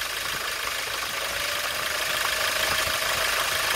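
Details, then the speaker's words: Hyundai Grand Starex diesel idling, VGT actuator vacuum hose pulled off and refitted at the control solenoid valve: steady high whistle that quiets with the hose off and grows loud again; turbocharger whistle pointing to a worn turbo. "The sound quality changes when the vacuum hose supplied to the vgt actuator is removed from the control solenoid valve"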